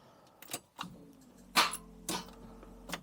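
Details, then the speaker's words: Daimler Double Six (Jaguar XJ12) V12 towed in with a no-start after not charging: several sharp single clicks with quiet gaps and no cranking; solenoid engages but starter doesn't turn, suspected bad connection at the starter. "It does go forward like the starter. I think the solenoid engages but nothing else."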